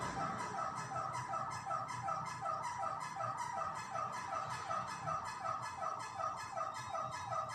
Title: Fan is Making a Strange Noise